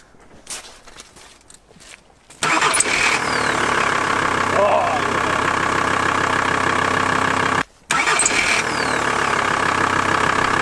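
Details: VW T4 van after the starter motor was replaced, following a no-start: a short crank, then the engine catches at once and settles into a steady, even idle with no grinding or clicking.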